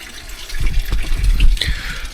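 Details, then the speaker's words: Truma Ultrastore boiler in motorhome after gasket attempt: sudden splashing gush as the pump brings the system to pressure; bottom boiler joint leaking. "The joint's not leaking now, but I don't know if I hold this close to the thing. Can you hear that? That obviously is dripping inside."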